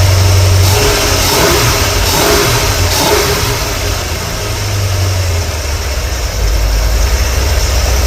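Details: 454 V8 at about 36° total advance, four mufflers on: revving brings an uneven, stumbling pop into the exhaust note; popping stopped when warm until revved; bad plug or lifter suspected, not pinned down.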